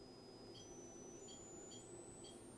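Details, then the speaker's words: Braun L 450 speaker on a Wandanlage system after the tweeter connections were cleaned: faint clean test tone stepping up to 10 kHz, steady and undistorted; the tweeter is working again. "I'm not sure if it's going to come through the mic, but I'm at 10 kHz and I can clearly hear it if I take the cabinet off of the, you know, tweeter is obviously working."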